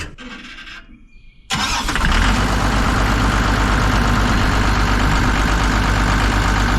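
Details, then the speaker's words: Kobelco SK250 excavator, believed 2006, diesel, just started after exhaust manifold replaced; catches after a short crank, steady even idle, no miss or puffing, warming up; sounds far better than before, normal idle. "well it sounds light years better than it did before we'll give it a second to warm up here and then we'll throttle it up see what it actually sounds like"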